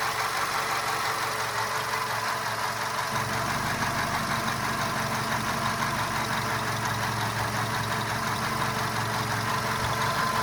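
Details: VW Golf 5 engine idling with a steady, light clacking knock repeating a little under three times a second; source of the knocking undetermined.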